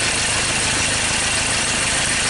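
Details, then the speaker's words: 2013 Ford Ranger T6 diesel, lost power and stalled hours after a routine service: uneven, lumpy beat under steady clatter at idle, sounding like a cylinder misfire. "this is a diesel vehicle see how they Ravens so that sounds like a misfire"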